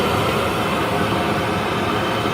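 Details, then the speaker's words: Worcester Greenstar 38 CDI gas boiler at annual warranty service, purge while checking the fan's negative pull with the analyser as a gauge: dense, steady roar with no surging, rattles or catches; fan pulling evenly, reading okay, normal. "what we're doing now we're just being checking the negative pull from the fan to attack our tube"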